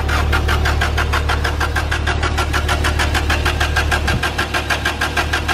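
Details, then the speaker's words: Subaru GC8 Impreza turbo EJ20, stood outdoors over 7 months, cranking with cam sensor disconnected to kill spark and fuel and build oil pressure: steady rhythmic starter churn, even compression beats, no firing. "Right, we've got oil pressure, the oil light's gone out. Reconnect this cam sensor here, and hopefully now with this next crank, she'll fire."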